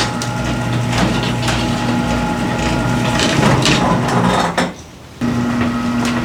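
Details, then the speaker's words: Garage door after replacing six old hinges with Green Hinge system: opener drones steadily as door travels, only light scattered clicks, no heavy rattling or squeal; operation much improved. "so friends I kid you not the operation of this garage door has improved immensely by this garage hinge this green hinges system installed"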